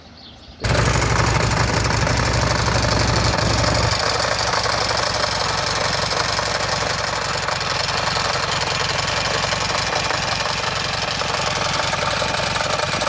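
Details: Buell Ulysses V-twin fires up loud and settles to idle with a hard, rapid knock about four times per second over the exhaust beat. Engine knock.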